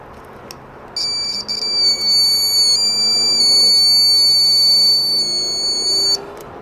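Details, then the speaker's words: Second loose buzzer tested on a Chinese multimeter's continuity circuit, with the board buzzer disconnected: a clean, steady high-pitched tone for about five seconds, then a clean stop; the buzzer works properly. "que está bueno y también podemos escuchar el tipo de sonido que emite el que traen los multímetros bien quedito que se escucha"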